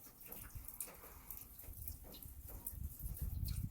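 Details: Rain runoff after new seamless gutters with Leaf X covers were fitted on a standing seam metal roof: soft, low trickling and dripping with no loud splashing from the dormer onto the lower gutter cover.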